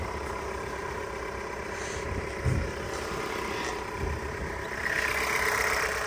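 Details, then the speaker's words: 2021 Jeep Renegade four-cylinder at idle: a dry, buzzy rasp almost like a two-stroke. The owner suspects an exhaust leak or that this is simply normal for the engine. Raspy engine noise at idle. "sometimes it sounds like maybe an exhaust leak or you hear like a like a raspy kind of noise I don't know if it's just the way the engine is because it's a four-cylinder you hear that buzz that sounds almost like a like a two-stroke sometimes"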